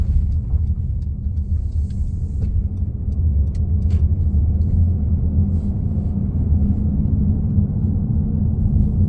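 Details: 2015 Honda CR-V Touring driving: a loud, steady, deep hum from the rear of the vehicle drones under the road rumble.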